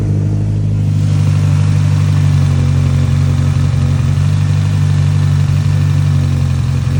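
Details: Engine started after a fuel pressure regulator change and flooding; the intake was drained by cranking with the fuel pump, injectors and plugs disconnected. A loud, steady drone with an uneven, lumpy beat underneath; it runs rough and won't settle.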